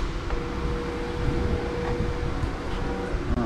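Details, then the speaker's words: Gen 1 Suzuki Hayabusa after a fuel pump replacement and a gen 2 twin-fan radiator upgrade: a faint steady hum for about three seconds at key-on, then it cuts off; the new fuel pump primes normally. "hear the fuel pump so that's okay"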